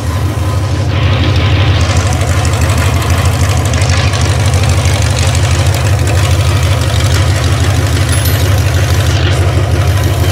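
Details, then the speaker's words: 360 Magnum V8 on a run stand for its first test, initial timing set to 13° BTDC: deep, even idle with a steady low rumble and no knocks, misses or ticks; it runs healthy, though drain plugs and freeze plugs leak. "sounds like she's running good got a couple issues to take care of"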